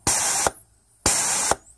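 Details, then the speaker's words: 2003 Holden VY Commodore 3.8 V6 4L60E torque converter PWM solenoid bench-tested with shop air: two crisp half-second air hiss bursts, flowing air and sealing well without leaking, normal operation. "so there was a little bit of air in there but that one seems to be sealing really well and now I'm flowing air not leaking"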